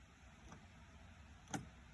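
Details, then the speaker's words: 2011 Ram 1500 5.7L Hemi with a no-crank, no-start complaint: turning the key gives only two faint ticks, with no starter solenoid clunk and no cranking; rusty grounds are suspected, not confirmed. "so right now i'll show you guys you get in here turn the key nothing you can hear clicking a little bit"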